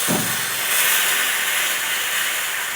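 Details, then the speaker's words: Sage (Breville) Bambino Plus espresso machine steam wand purge after pressing steam button: steady loud hissing rush, no sputter or pulsing, pressure holding even; normal purge. "So I'm just going to press the steam button here."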